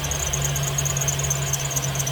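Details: 2015 Chevrolet Silverado 2500HD 6.0L V8 at idle: a high, chirping squeal pulses rapidly from the serpentine belt. Owner suspects power steering pump pulley misalignment, checked with a laser belt alignment tool.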